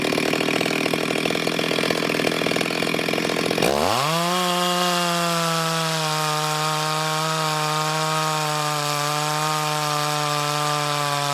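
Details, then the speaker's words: Ported Stihl 026 chainsaw during shakedown cuts in hard wood: a quick rev climbs into a clean, steady high scream with no surging or stumbling. Healthy at full throttle. "um for shake down passes I think she's doing pretty good but again you know that wood is pretty hard"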